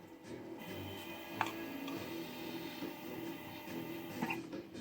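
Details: Wanhao i3 3D printer upgraded to a Duet WiFi board, Y axis homing with the bed upside down and the end stop pressed by hand; the stepper motor buzzes in short bursts that stop and restart. Normal stepper motor operation.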